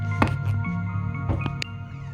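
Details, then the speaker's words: SSL Big Six mixer: sharp irregular pops break through a steady low hum on the speakers, worse in the headphones and easing when panned. Caused by a loose headphone jack adapter. "can hear the pops on the speakers. But if I put on the headphones, put the headphones here, you can really hear it. The headphones pop seems to go only if I pan it."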